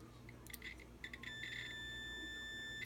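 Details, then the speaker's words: Resistor spark plug tested on a standard multimeter's diode setting, probes on the base and tip (simulated fault): a steady high beep for about a second and a half means the plug is shorted and bad, killing spark even from a good ignition. "If you hear this sound when you touch up here, your plug is bad. You probably have a great spark, but because of this plug, you don't."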